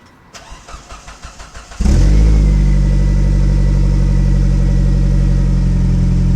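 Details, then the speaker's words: Before-repair idle: engine cranks briefly, then a loud, deep, raspy drone from a muffler crushed and twisted driving over parking lot entries, overheating the rear bumper; damaged exhaust muffler, to be replaced with new piping and resonators. "So as you can tell, it doesn't sound too hot. It sounds kind of crappy."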